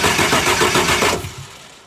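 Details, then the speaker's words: 2001 International Blue Bird school bus, T444E (7.3 Power Stroke) diesel, recently replaced starter, single low battery, after glow plug wait: short steady cranking winding down with no firing. Crank no start, cause unconfirmed. "okay we're not getting a leak but we're also not getting a start uh crank again"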